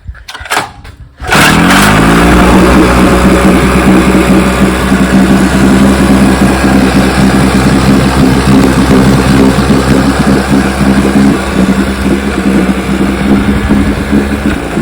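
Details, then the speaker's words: 60-year-old Johnson 10 HP two-stroke outboard after a gearcase rebuild and carburettor fine-tuning, with both mixture needles reset from way out of adjustment: starts at once and runs steady and even with no misses or hunting, normal running. "Started her and turned this one in at high speed and this one in at low speed, and watch how she runs now."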